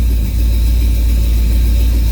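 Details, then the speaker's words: 1969 Pontiac GTO with MSD Atomic EFI in learning mode, rolling down a hill after settings changes: deep, steady V8 rumble with no misses, knocks or surging; runs normally. "all right just a quick little roll down this hill she sounds good runs good things are looking good"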